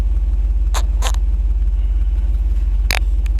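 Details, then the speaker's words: Jeep Grand Cherokee SRT8 after installing a Magnaflow muffler, throttle gunned a few times: deep, steady V8 burble with no hiss or puffing from leaks. Normal exhaust rumble. "all right so for that muffler now that it's in everything sounds great uh the rumble sounds good gunned it a few times sounds good I don't hear that Infamous disgusting sound when you have an exhaust leak"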